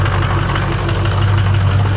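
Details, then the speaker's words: Ford Super Duty 6.0 Power Stroke diesel V8, cold start after reconnecting a popped-out FICM plug. It fires right up to a deep, even idle with no stumbles, hitting on all eight cylinders. "it's hitting on all 8."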